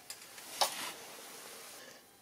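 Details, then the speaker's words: Toyota diesel glow plug bench-tested with direct battery leads after engine/VSC/TRC warning and preheat fault: short crackle then soft steady sizzle fading; plug heats properly and is good, fault lies elsewhere in preheat circuit. "c'est que c'est bon signe le bruit donc mes bougies elles ont rien donc j'ai un problème ailleurs"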